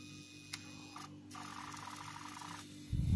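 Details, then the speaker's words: Elephone U2 smartphone pop-up camera: a small motor whirs extending, then a louder, rougher grinding buzz retracting, worse going in than out; the pop-up mechanism is noisy and seems poorly designed. "il fait du bruit quand il sort mais quand il rentre c'est encore pire il n'est pas content du tout"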